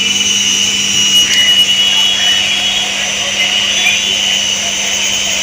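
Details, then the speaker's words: Washing machine after drum reinstalled and seated with balance weight, running spin: even, steady whirr with low hum and faint high whine, no rumbling or grinding, bearing noise gone. Normal spin. "ఇప్పుడైతే చూస్తున్నారు కదా ఎలాంటి sound వస్తుందో ఇప్పుడు bearing sound కూడా రావట్లేదు"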